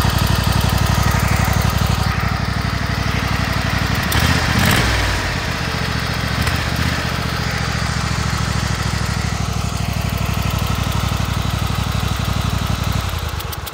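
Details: Kohler Command 25 V-twin mower engine at steady idle: rhythmic puff about four times a second at the right cylinder, still runs smooth, burnt plug on that cylinder and power loss; blown head gasket.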